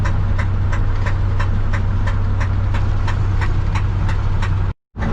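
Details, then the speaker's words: 1968 Ford F100 at idle: steady idle with a sharp, even knock about three times a second, heard intermittently; owner says it was not the water pump, cause unknown. "she's knocking. I believe I can say it was not the water pump."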